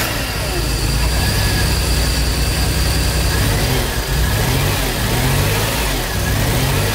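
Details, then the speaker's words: Maserati twin-turbo V6 (4.24V), barn find, after cleaning and swapping injectors and one new injector: loud low running with lumpy uneven beat under revs; one cylinder seems dead, misfire, cause still being traced. "nếu bạn có một đôi tai tốt và đã quen với việc làm việc trên động cơ khập khiễng , bạn nghe thấy rằng một xi lanh dường như không mang lại bất cứ điều gì"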